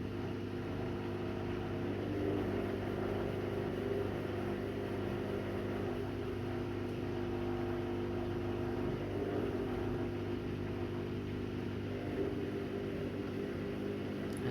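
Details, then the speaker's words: Washing machine that has sat little used, during drain and spin on a newly installed kitchen hookup. Low steady motor hum with a faint wavering tone on top; owner calls it a bit noisy with weird sounds, cause unknown. "there are miss a little bit noisy right now and sitting I'm not using it a lot that's probably wise making some weird sounds"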